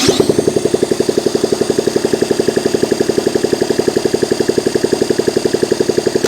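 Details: Honda ST70 with rebuilt top end and new carburetor, ignition hot-wired from stator to coil, first start in years on electric starter: even cranking chug, about three strokes a second, never fires; fuel delivery fault.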